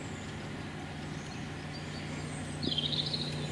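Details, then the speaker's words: Newly installed air-conditioning outdoor condenser unit running outside: only faint steady low hum under birdsong, no rattles or rubbing; very quiet, normal operation. "and as you can hear it's very, very quiet."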